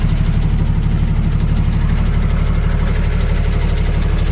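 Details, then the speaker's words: Ford Cargo 0813 library bus motorhome, diesel at idle, recorded from underneath: strong low chuffing pulse about two beats a second; exhaust pipe falling off, broken somewhere, exact leak location unknown. "It's broken somewhere. I don't know where it's broken, but it's broken somewhere. I can hear it."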